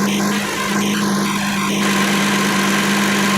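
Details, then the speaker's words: 2007 Kia Sedona 3.8L at idle after AC compressor replacement (old clutch windings shorted) during refrigerant charge on low side, AC on; steady even hum from engaged compressor clutch, no rattle or squeal; normal AC compressor operation. "The AC is running. Clutch is turning."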